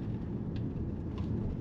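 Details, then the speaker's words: Hyundai ix35 2.0 automatic at city speed after replacing noisy front suspension bushings: the front end is now quiet with no knocks. It previously banged around 40 km/h when braking, and rear noise is now more noticeable. "a frente ficou silenciosa a frente estava muito barulhenta aí agora ele ficou lisinho"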